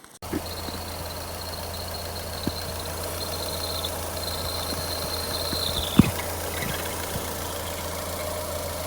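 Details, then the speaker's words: A thin, steady high-pitched squeal rides over a Ford Fiesta's idle hum; the noise came when accelerating. It was not the alternator belt or the steering, but a worn water pump, which was replaced. "vocês virem no vídeo o barulho que tava fazendo né ringindo e não era correia do tornador não não era nem questão da direção era essa peça aqui ó"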